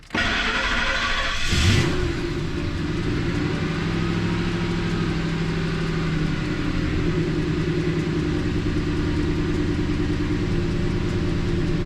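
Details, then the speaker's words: 2003 Ford F-150 5.4 L after idle air control valve replacement, restarted (hard start persists, possibly tune related) and put in gear: brief start blip then smooth steady idle that stays running without stumbling. "Put it in gear. Idle's much better. Stays running, obviously that's a bonus."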